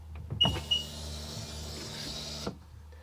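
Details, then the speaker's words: 2002 Sea-Doo GTX DI that won't rev up: with the tether on, the electric fuel pump gives a harsh high-pitched scream for about two seconds while priming, then cuts out; a fuel pump fault is suspected, though air or fuel pressure is uncertain. "Oh, now you can't hear it. It was making a screaming sound. I really think that it's something to do with that fuel pump."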